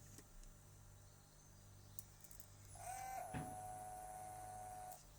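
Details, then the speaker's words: Pump on an XR5X4 turbo project bench-tested on 12 volts before fitting: a steady mid-pitched electric whine for about two seconds that stops cleanly; the pump engages and runs normally. "what we're listening for is we're listening for the pump firing up when I connect 12 volts"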